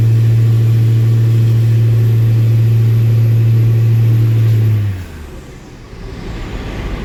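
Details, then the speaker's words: Truck diesel accelerating from a stop light; deep, steady pull with an even low drone that backs off cleanly; strong, smooth-running engine. "Otis does chief a little bit, makes some power. I'm gonna start tearing him apart today. I'll wait till this light turns green and I'll show you how he accelerates."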